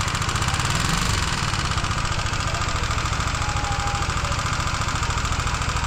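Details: Honda CBR150R single-cylinder at idle: loose, fairly fast top-end mechanical knock on every firing. Suspected cause: a loose part on the intake-side valve area; teardown found scoring and sand-like debris inside.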